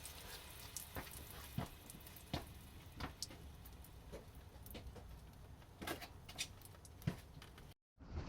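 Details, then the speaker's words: 1985 Toyota Corolla GT-S AE86 with Honda S2000 F20C swap, engine off while priming after long storage: irregular fuel drips pattering about every half second, a heavy fuel leak; owner thinks he found where it came from. "I hear fuel leaking. Let's check this out. Alright, trying to find this fuel leak. I'm trying to fire it up or prime it anyway. Clearly leaking from somewhere a lot."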